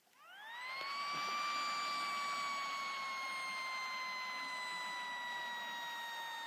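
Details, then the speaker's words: HP Pavilion G7 laptop, used on a lap desk: the fan spins up with a clear, steady high whine near 1 kHz, a sign of dust buildup wearing the fan. "as you can hear the fan is obviously making some sort of noise so I'm going to show you how to fix this"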